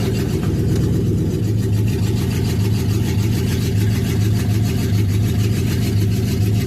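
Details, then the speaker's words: Triton engine at fast idle above 1,000 rpm on a chilly morning, put in gear: deep, uneven idle with a stumble every second or so, a misfire. Some plug wires were replaced and tapping the injectors helped a little. Owner suspects an injector, coil pack or plug wire. "Here's missing a little bit. I got it running a little bit better, but it still sounds like it's got a damn miss. How it sounds when I put it in gear like it's got a day a miss."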